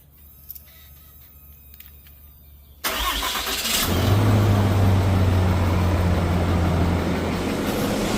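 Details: 2026 Ram Cummins diesel on 10W-30 oil, possibly slow start from air after fuel filter change: short crank, fires near three seconds, settles into steady even idle with no lifter tick; healthy cold start.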